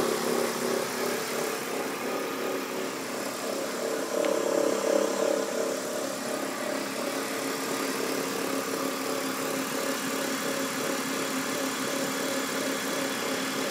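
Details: BMW E46 323Ci at steady idle with a faint, fairly regular tapping about three per second over the engine hum; owner asks where the noise comes from and also reports white smoke; source not pinned down.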